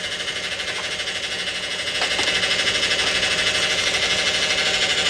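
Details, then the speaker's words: Vehicle with 3.6 engine and 62TE automatic transmission: high steady whine with fast pulsing beat getting louder; fluid low and burnt, internal transmission problems suspected. "that is not good and that doesn't sound good at all it can't do nothing to get louder and louder it would have eventually stopped pulling had i test drove it"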